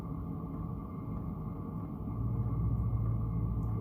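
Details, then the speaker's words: Chinese diesel heater mounted in a hard case, throttled down to maintain 9 degrees with 10 degrees ambient; steady low fan hum with a faint even fuel pump tick about once a second; normal low-output running. "fuel pump ticking away oh let's do this crank it up back to 15 16."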